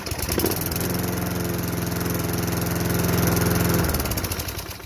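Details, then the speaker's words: Craftsman 22-inch mower, 5.5 hp Tecumseh, sat about 10 years, after the carb bowl nut jet was unplugged: starts on the first pull and settles into an even, steady putter with no misses; a healthy start. "so we got it on the first pole that is a good solution we could try is to clean off the nut bowl jet"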